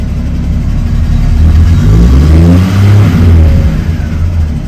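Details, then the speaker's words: Triumph TR6 inline-six after EFI kit install, warm start in neutral: smooth blips up from idle settling back evenly, no misses or stumbles; normal revving, fuel injection responding well. "so yeah it's working really well I'm really happy with it"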